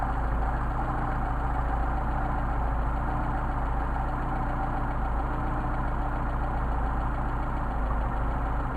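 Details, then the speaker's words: Mercedes 190SL on bench-tested Solex carburetors, idle mixture screw being adjusted from 6.5: low, uneven idle with an irregular beat, nearly dying; lean idle stumble from mixture screw turned in. "What you're going to do is screw it in and out. Screw it in until the engine starts to stumble. Screw it out until the engine starts to stumble, and get the midpoint."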